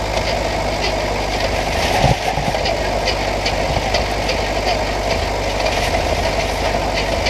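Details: 1968 Buick Skylark Custom V8, abandoned since the 1980s, running after a pulled-out spark plug wire was refitted to the cap: steady idle with a faint uneven tick, still slightly rough; cause not confirmed.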